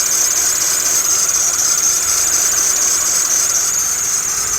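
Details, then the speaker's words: Toyota Matrix with automatic belt tensioner idling: loud steady high-pitched serpentine belt squeal that stops immediately when water is squirted on the belt; belt fault, sticky belt dressing to clean off before new belt. "squirt a small dab of water on the belt the sound immediately goes away"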